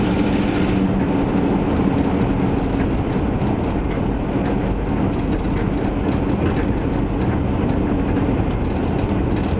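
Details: Van test-driven before repair: loud raspy exhaust roar with an uneven puffing chuff. Later traced to a bad exhaust donut gasket, both mufflers rusted out and a rusted tailpipe section; exhaust leak.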